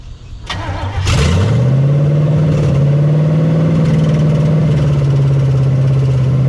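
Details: 1975 Chevy Nova stock small-block V8, sat 35 years, no fan or belt, seized water pump, run only briefly: cranks, catches within a second, steady fast even idle on open headers, no knocks; high idle from vacuum leaks.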